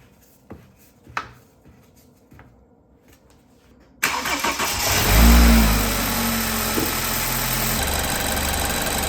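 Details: BMW 328i N20 after new thermostat and reconnected hoses, coolant bled, first start; cranks, catches quickly, settles into a smooth, even idle with no misses or rattles. Normal idle.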